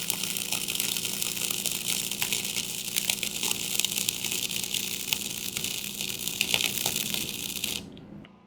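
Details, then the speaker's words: Allis Chalmers AC transformer welder on 240 V, about 97–100 A with 1/8 in 6013 rod: even arc crackle with slight buzz, transformer core nearly silent; normal healthy welding. "You can hear it in the AC arc, a little bit of buzz, but the core itself of the transformer is dead quiet almost."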